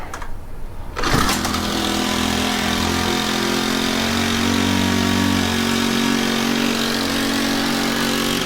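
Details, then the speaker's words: Honda FG110 tiller with GX25 four-stroke, after cleaning oil-soaked air filter and with oil low: catches and holds fast, uneven surging drone instead of idling; overtight 10mm throttle-cable nut binding the cable, to be loosened. "The 10mm nut that's holding the throttle cable on is too tight. It's not letting it idle all the way, so I'm going to loosen it up."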